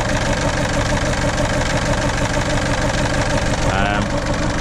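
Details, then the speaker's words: 2007 Ford Fiesta 1.4 TDCi diesel, sat about a year on a weak battery with a jump pack: lumpy, uneven idle of about two pulses a second, whole engine shaking, limp mode when driven. Misfire on at least one cylinder; owner suspects the cylinder 2 injector. "it's running really really really quite rough um I mean I have driven it um very slowly it goes into limp mode almost straight away um but it's definitely at least one cylinder not firing not working properly the whole engine shaking around"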